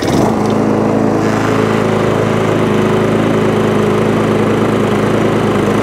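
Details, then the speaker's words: MTD push mower, Tecumseh engine, after the SV150 foam air filter was found starving it of air; a proper Tecumseh filter will be ordered. A steady, even single-cylinder putter with no hunting or surging; it runs cleanly and holds speed. "they don't run too bad now so i'll order up a new air filter for a proper tecumseh one and uh that'd be good to go so i'm quite happy with that"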